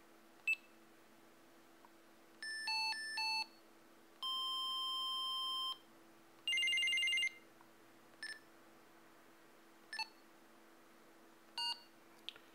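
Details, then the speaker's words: GRE PSR-400/PSR-310 analog trunking scanner demonstrating its selectable alert tones: short double beeps, a long steady tone, a high-low and a warbling ring. Normal alert tones. "so the ring and the high-low, not really into those, because basically every time somebody keys up, you're going to hear that. However, the double chirp or the quick high-low beep, those are quite nice to know."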